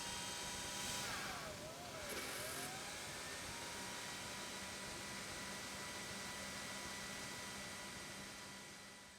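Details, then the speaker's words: LTO-4 tape drive in an AMD Phenom X4 9600 server restoring one file, retrieving only a few percent at a time: hum with tone sliding down and up as tape shuttles; repeated seeking, owner suspects fragmentation or questions data integrity. "It's like it can only grab a few percent at a time. It's almost like the file's fragmented to different parts of the tape. And there it goes again, and from 9 to 15%. All the fuss it's making to pull one file is making me question the actual data integrity."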